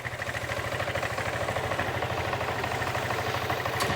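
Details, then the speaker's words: Vespa GT200 scooter warmed up over a minute after carburetor cleaning and tune-up: revs up and returns quickly to a steady, even idle of about three beats a second; healthy idle. "RVE sounds good comes right back to idle"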